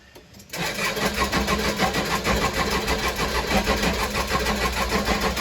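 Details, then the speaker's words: Case 580 Super L diesel backhoe that ran out of fuel, refilled with about 9 gallons: steady starter cranking without firing; air heard in the tank when pushing the primer, fuel system air-locked. "whenever I was pushing the primer I can hear it squirting air down in the tank or sucking air in the tank"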